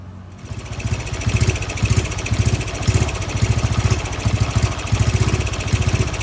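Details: Honda Wave 110i converted from modified back to stock parts (crankshaft, piston, head, valves, camshaft, exhaust, injector, ECU): after starting, engine runs lumpy and uneven with heavy thumps about twice a second instead of a smooth idle.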